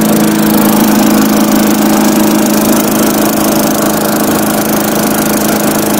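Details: Tecumseh-powered Craftsman 4-in-1 yard vac, model 247.770100, first start after sitting about two years with old fuel: loud, even high-pitched drone holding constant speed with no misses, knocks or surging, running healthy.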